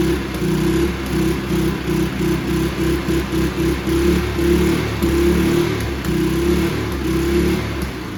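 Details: Free abused Toro 20333 push mower, Briggs and Stratton single-cylinder, after quick carb bowl clean removing water and debris: runs on its own at steady speed with slight rhythmic pulsing; engine fires and keeps running.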